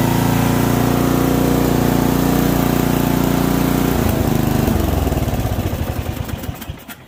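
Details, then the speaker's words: MTD Yard Machine ride-on mower, 12.5 hp Briggs & Stratton, 38-inch deck, 6-speed, found not running, started on choke cold: steady beat then speed sags and rises unevenly; engine hunting. "hunting a bit, but overall, she starts."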